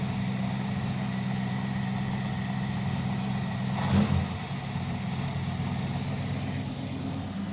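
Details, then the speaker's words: 5.2L V8 at idle after Seafoam was poured into the crankcase, a brief tick heard at startup: even settled idle with a steady low burble and one short blip around four seconds; runs smoothly and healthily. "runs good today. Not really moving around too much."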